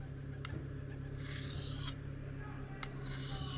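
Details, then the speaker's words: Axe honed on a sharpening stone with very light pressure: two strokes of steady, solid rasping grind, even and gritty with no catch; edge honing normally. "So I'll just start nice and gentle and just, and you can hear that's making a good solid grinding"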